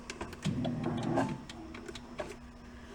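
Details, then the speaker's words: 1976 Porsche 914 converted to a station wagon, during initial cranking attempts: a faint steady hum under quiet clicks and knocks; the electric fuel pump priming and running normally while checking for fuel. "that's the fuel pump a couple more times we look for fuel"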